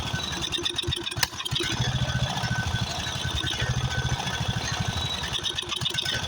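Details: Craftsman riding mower, 13.5 hp Briggs & Stratton OHV single, after a carburetor replacement: uneven hunting idle with irregular pulses, running rough. Owner suspects new carb mixture adjustment or possibly a blown head gasket.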